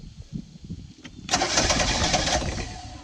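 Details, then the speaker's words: Old boat sterndrive engine, warmed up, air filter off carburetor, starting fluid sprayed in: brief cranking, then catches with sharp even firing that settles and fades cleanly; healthy start. "sounded good too"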